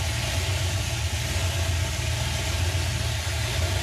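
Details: 1950 Ford F6 dump truck, first attempt to drive in about 7 years after fuel system fixes: low, even idle thump with every cylinder working, no miss or tapping; running right.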